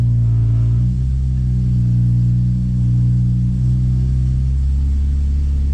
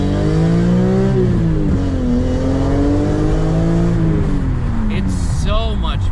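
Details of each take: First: BMW S54 engine with dual section 1 exhaust mod, cold start idling near 1100 rpm: heavy steady low drone and body vibration; exhaust rubbing on the transmission tunnel, an exhaust leak also present. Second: BMW S54 engine after the dual Section 1 exhaust mod replacing BMW's unequal-length pipes: clean rising and falling revs with a smooth exhaust tone, no rasp, brief tire chirp. Before, it sounded like a bad Honda; now it sounds good.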